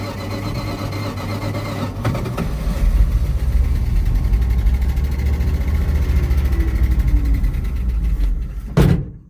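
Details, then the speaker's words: Abandoned 1973 Dodge truck V8, just revived. It runs at a low, lumpy idle, then sags and cuts out abruptly and won't restart; out of gas. "It's out of gas. I bet you feel like quit or something."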